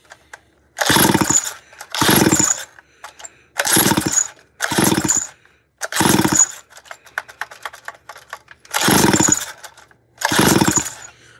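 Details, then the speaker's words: Modified 440 chainsaw: seven hard pull-start bursts, each cranking over without catching or firing. The saw is flooded and won't start; its rewind starter spring is worn, which may explain a reported high-pitched squeak. "man this thing is flooded and this rewind starter the rewind spring is shot"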